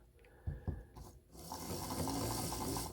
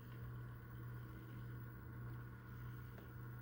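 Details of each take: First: Proto2K GP7 model locomotive drive unit tested on DC power before a decoder install: a few sharp clicks, then whirring drive with uneven ratcheting ticks as it jumps around; broken axle gears. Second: Proto2K GP7 model locomotive after Digitrax DH165L0 decoder install, first test run: steady even low motor hum with no knocks, catches or surges; runs normally, still needs some break-in.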